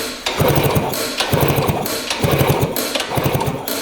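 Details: 1960s Ducati Brio 100 scooter, sitting over 30 years: bursts of kick-start cranking at roughly one stroke a second with a different coil wire, new boot and new plug fitted; the engine turns over but never fires.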